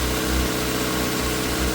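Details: Yamaha YZF R6 after fuel pump replacement, first start after sitting: smooth, even idle with a steady low hum and no knocks or misses; engine running normally.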